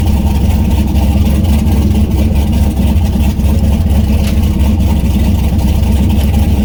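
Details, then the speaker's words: Turbo LS V8 swapped Miata on first start with the new tune and the coupler on, not yet warm, with the downpipe unfinished. Deep V8 burble that lumps and stumbles instead of settling. Running very rough; the O2 sensor works, but fuel pressure needs lowering and changes are needed. "it's still running very rough but there's a few changes that need to be made"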